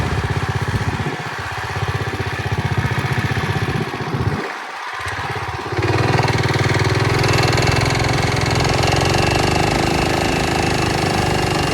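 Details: Early-1970s Pacesetter Trailbuck mini bike on a test ride after fitting a new torque converter not set up for jack-shaft use; engine drones steadily and never pulls up in pitch, won't climb to speed or accelerate. Torque converter slipping.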